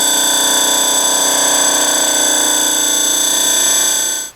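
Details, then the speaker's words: Shop rotary phase converter before service, running: loud steady high-pitched whine shifting through tones then cutting off, an annoying pitch that recently appeared; worn idler bearing. "it's been super noisy at times but recently it started to switch to a real Annoying pitch"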